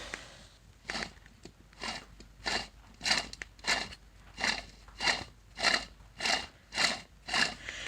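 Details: Honda CRX alternator, removed and spun by hand after battery light came on while driving then at idle: dry gritty crunching swelling with each turn, about 1.5 per second; worn, rough alternator bearing.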